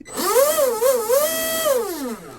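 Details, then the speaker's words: Proboat SonicWake V2 RC boat with upgraded 4082 1280kv motor, TFL 4614 prop, upgraded flex cable, realigned motor, on 4S twin packs: short bursts of smooth whine rising and falling with throttle, no rattle or grinding; healthy. "hit it take a break hit it oh sounds good yeah"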